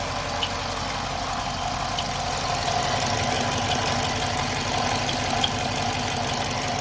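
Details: 2015 Dodge Charger at idle: light, high chirp repeating roughly twice a second over a steady idle; source of the chirp not identified.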